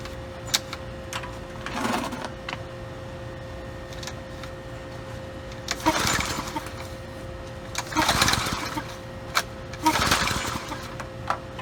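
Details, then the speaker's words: Curbside Brute Briggs and Stratton 550e pressure washer, filthy, worn primer bulb pressed a couple times: several recoil pulls with whirring rasp, never catches; hard start, owner plans to pull and clean the carb and replace primer bulb. "okay well uh not an easy start I say we begin with same thing that most of these engines need a carb"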